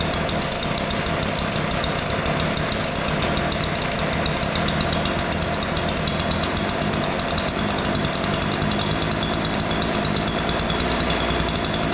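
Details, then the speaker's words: Weedeater two-stroke yard edger after opening both carburetor adjustment screws, which were too lean and far out of adjustment. A steady, even high-pitched buzz with no surging or dropouts; it starts easy and runs normally. "All right. So, that sounds pretty good. The uh screws were just way out of adjustment."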